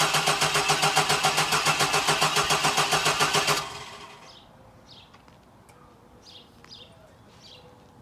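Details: 1999 Chevy Blazer, 141,000 miles, rough condition, gas gauge jumping and possibly out of fuel: starter churns evenly about three and a half beats a second for several seconds but never catches; cause suspected, not confirmed.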